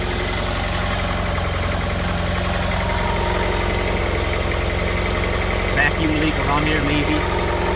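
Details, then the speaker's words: Honda Prelude misfiring at idle: a lumpy brap with irregular exhaust popping and shaking. The owner suspects the spark plugs (unconfirmed) and plans new plugs, wires and maybe a distributor cap and rotor. "shaking more than i used to i think it's it's firing or something if the way the uh the fumes come out of the exhaust it's like popping it's sort of like a brapping kind of engine right now"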